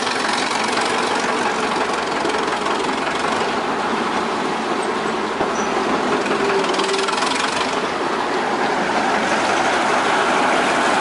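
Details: A heavy, fairly regular knock, roughly three a second, beats through the loud clatter of the 1926 Twin City gas engine on a Northwest 105 dragline; a worn connecting-rod bearing, needing repair before it ventilates the block.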